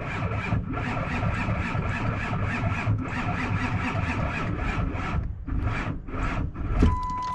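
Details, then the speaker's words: 1999 Ford F250, 5-speed manual, originally no crank; clutch pedal switch bypassed by bridging its wires. Now the starter turns over at about three even pulses a second but never catches, because the battery is low. "yeah now you can see you can crank it he won't start because he got low battery but that's fine"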